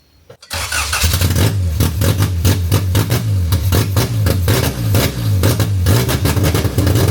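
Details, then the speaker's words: D-series wagon newly converted to multi-point injection, first start: runs with a ragged, popping, uneven beat that stumbles under revs; firing order found wrong (later fixed); O2 sensor not yet hooked up. "we had the fire and order wrong. Uh got that fixed."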